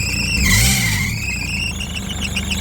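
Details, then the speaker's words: 2006 Ford Transit 9-seat passenger van, 200,000 on the clock, cold start after long cranking. A sharp, steady high squeal rides over a rough idle, with no smoke; belt squeal, suspected from a dry idler or tensioner roller. "так завівся двигун ось ви чуєте роботу 200 000 пробігу довго не заводився запищав ролик"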